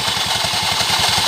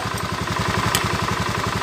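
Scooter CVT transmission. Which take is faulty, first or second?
first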